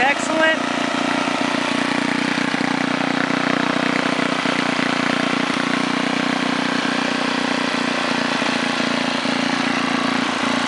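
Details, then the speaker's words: 1978 John Deere Tecumseh HM80 8 hp 318cc snowblower engine, fresh oil and gas, range about 1700–3600 rpm, at about half throttle: constant mid-pitched drone, no surging, misfires or rattles. Normal running at part throttle. "about half throttle right there"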